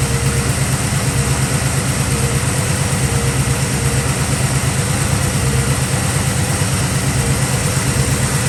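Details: 1965 Chevy Nova wagon V8 after fitting a Holley 600 cfm four-barrel and Edelbrock aluminum intake with floats set, idled down: steady, even idle at an unchanging pulse with no misses, knocks or hunting; throttle response much improved, belt seems slightly loose.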